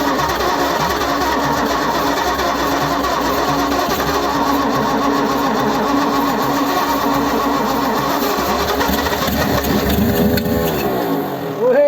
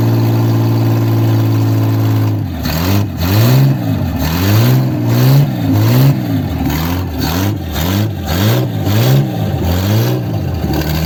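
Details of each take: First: 1955 Ford Zephyr, 46 years off the road, after tapping stuck valves free: long steady cranking drone ending in rising wavering pitch as engine catches and ticks over; sticking valves had prevented starting. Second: 1955 Ford Zephyr six, 46 years off road: smooth idle with repeated quick throttle blips rising and falling cleanly back to even tickover, no heavy smoke; normal running.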